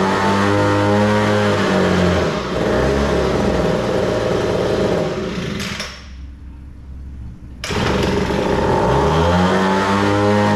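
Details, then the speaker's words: Homelite blower two-stroke after opening the slightly lean high-speed carburettor screw: it revs up crisp and steady, drops to a clean idle and picks up again without stumbling; starts easily, normal running. "top end screw, the high speed screw, is a little too lean. I had to open it up just a little bit, but yeah, now it sounds good, and it starts easy, runs good."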